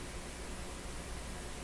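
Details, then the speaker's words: Hallicrafters S-40A shortwave receiver, no antenna connected, with power line filter capacitor bonded to chassis: only a soft, even hiss at low volume with no buzz or crackle; receiver quiet and clean. "it's Carolina I don't have an antenna on here which is why the rate is quiet otherwise because if I put on an antenna you can hear something"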